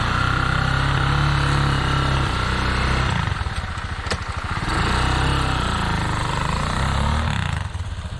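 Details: Bashan 250 quad idling after a battery replacement for weak starter cranking: an even, steady single-cylinder beat of about four pulses a second with no misses; it runs normally.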